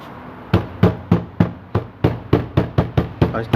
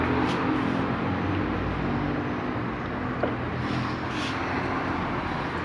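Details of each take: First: Fiat Cronos door: hollow knocks about three a second, each with a brief buzzy rattle, from a loose screw in the door panel; the panel was then disassembled. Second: Fiat Cronos (2018/19) inside while driving, after the door was disassembled and a screw refitted with threadlocker: steady road and engine hum with no door rattle left.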